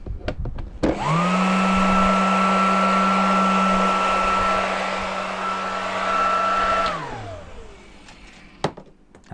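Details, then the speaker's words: Hoover Junior U1104 vacuum motor after refurbishment, fan fitted, tested on the bench: spins up quickly to a steady, clean, even hum and winds down smoothly, much smoother than before. "sounds so much smoother than it did before"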